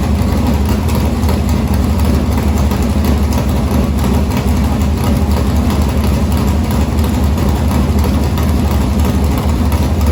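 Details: Morgan Machine-built open V8 (about 358 cu in) race engine in a Harris car, EQ heads, likely Edelbrock Victor Jr two-barrel intake, started after sitting a week and a half to refill an unhooked fuel line: loud, deep, steady idle with even lumpy pulse, no knocks or misfires; normal idle.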